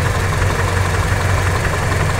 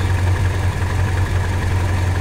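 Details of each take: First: Toyota Kijang after readjusting the ignition distributor, points gap widened and timing back at 8 degrees: even, steady low idle with no misses; engine now runs smoothly. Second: Toyota Kijang with points-type distributor: low, steady idle rumble with slightly uneven pulse and extra shake; idle dropped and ignition timing retarded from about 15 degrees after adjusting the points gap, giving rough idle.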